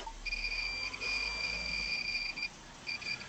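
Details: A steady, high-pitched electronic beep in long and short bursts from the tour vehicle's cab, with no engine running. It carries on after the engine is switched on, while all the warning lights go off normally; the source is unknown.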